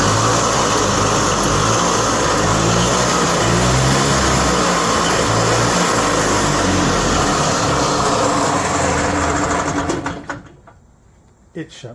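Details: Yamaha G1 golf cart (circa 1979–81) small two-stroke after switch installation: runs steady and buzzy, then cuts cleanly and coasts to silence when released; normal shutdown.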